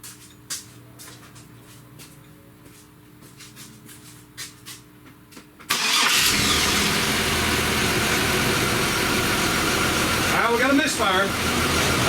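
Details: 1999 Chevrolet S10 4.3 L V6 with distributor, code P0300 (no cylinder-specific code): cranks and catches, then a lumpy idle with an uneven stumble about three times a second and a rattle; misfire, cause not yet found.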